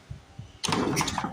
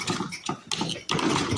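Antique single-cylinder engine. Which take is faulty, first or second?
second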